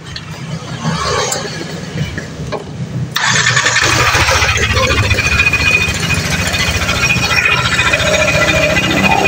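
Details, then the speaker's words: Yamaha NMAX (old model) scooter with a rough, gravelly growl in all conditions, from a worn bearing on the CVT side; the one-way starter checked normal, and the fix needs only the front cover opened, no engine teardown. "ya ada beberapa faktor biasanya yang menyebabkan suara seperti ini ya itu dari bisa dari lahar TR AS e atau dari lahar ksap atau noen As ya atau dari e oneway starter kita cek satu persatu ya teman-teman"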